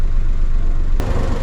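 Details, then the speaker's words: 2008 Smart Fortwo Pure 451 71 bhp after welding a new catalytic converter/silencer bracket: steady low engine hum, no exhaust blowing, vibration or knock; earlier knocking was the silencer rattling against rear suspension, not the clutch; normal running. "everything is sounding really great no blowing from the exhaust no vibration in fact the knocking noise that was audible from the inside has gone"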